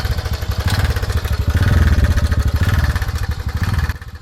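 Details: TVS Ntorq 125 fuel-injected scooter engine: fast, even clatter over a thumping idle; loose timing chain.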